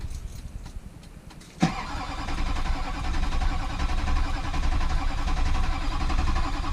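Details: Rebuilt rollover truck after rewiring, fuel pump just plugged in and primed: starter churns at a steady, slightly uneven pace, diesel turns over but never fires; crank-no-start, owner suspects the cab module must be swapped from the original truck.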